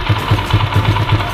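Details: Motorcycle with PE28 carburetor, just after replacing the red Samco intake manifold rubber between carburetor and manifold: low, even thumping about five beats a second, no misses or knocks; single-cylinder idling smoothly and healthily.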